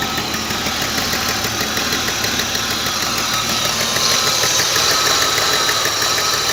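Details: BMW E34 520i at steady idle: sharp, even tapping about three per second riding on top; a knock somewhere in the engine, source unclear.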